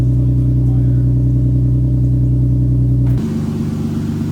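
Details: Lexus started for the first time after fixing an exhaust leak and crooked header bolts: a strong, steady hum settling to a lower, even idle with no ticking or puffing; healthy normal idle.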